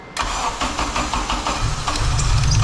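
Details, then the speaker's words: EG hatchback with a swapped 8th-gen engine, with the harmonic balancer a different size and the belt off: brief cranking, then it catches and settles into a steady, even idle; it starts and runs. "but hey it starts y'all heard it start just"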